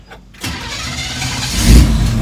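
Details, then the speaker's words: Barn-find 1967 Chevrolet KC10 truck, carbureted engine that had sat a long time and just got a new battery: brief crank, lazy catch and stumble, then speed builds unevenly. The carburetor is flooded and clearing out. "Flooded it. But she sits here and idles, runs good. I think I've gotten so used to non-carbureted cars that it's hard getting back in the saddle on the carburation."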